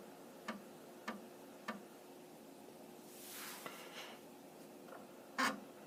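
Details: Amiga 1000 floppy drive tested without a monitor, looking for the Kickstart disk after power-on self checks; three evenly spaced clicks, then a brief whirr and thump as it reads; normal, healthy disk loading.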